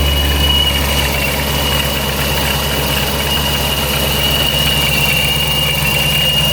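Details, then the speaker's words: ProCharger-supercharged Scat Pack at idle after the shop fixed its tune: steady high blower whine over an even idle rumble, constant pitch; normal. Owner thinks the earlier louder whine was perhaps from a cold engine. "let's go take a listen to it though I want to see if the supercharger sounds different"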